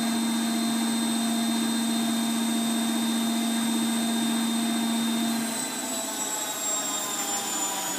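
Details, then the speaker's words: Bosch WFF2000 washing machine on a Cottons 40 test run, previously skipping program stages: the drain pump hums steadily and evenly for about five seconds, then stops cleanly; it pumps out properly. "that works now the possess now plumb dead properly"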